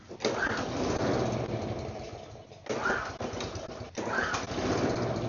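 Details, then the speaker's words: Neglected mower left outside without covers, rusty spark plug sanded clean after water in the system; three pulls each sputter and catch briefly then die, owner suspects it needs a new spark plug. "It wants to, but it might need a new spark plug."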